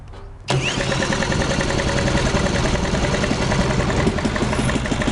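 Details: 1939 Lauson RSM 1hp marine inboard, air-cooled single-cylinder (5.9 cu in, rated 2300 rpm), audio-tuned straight pipe: fires up and settles into a quick, even bark about three beats a second; healthy running.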